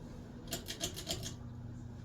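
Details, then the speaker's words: Hunter Arts & Crafts spinner-motor ceiling fan with Mission-style light kit, run on high: low steady motor hum with a quick run of dry, raspy ticks that fades, from a poor bearing. Running on high for hours sometimes clears it. "Oh yeah. Yeah, it's not the best bearing."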